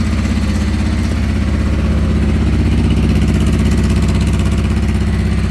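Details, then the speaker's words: 1989 Honda Transalp 600V V-twin, ice-cold start in neutral on full choke, warming about 30 seconds before going to half choke; steady, even low thump about three beats a second, no knocks or misses; normal cold idle on choke. "So I usually let it warm up for about 30 seconds, and then I"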